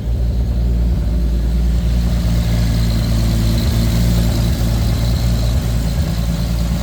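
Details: Lexus IS300 with swapped 2JZ-GTE turbo six, BC 276 cams, on a Fueltech FT550 first start with only a base idle/startup tune, fuel correction under 1%: deep, even smooth steady rumble with no misses or knocks; healthy normal idle.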